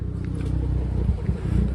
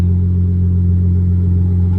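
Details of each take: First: Dodge Charger with the check engine light on and a cylinder 6 misfire code: a low, loping idle with a regular stumble breaking the firing rhythm, a dead cylinder. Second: Dodge Charger at about 76,000 miles with no regular maintenance, after a fix for a cylinder 6 misfire. Steady, even idle with no stumble or skip and only handling noise over it. The check engine light is still on, but the owner believes it is fixed.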